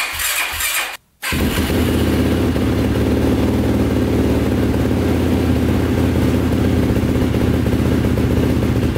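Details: 2005 Yamaha YFZ450 big-bore single after rebuild, carburetor refitted with fuel screw two turns out (owner suspects a clogged pilot jet): after a brief cut, steady even idle that holds without stumbling or stalling as before.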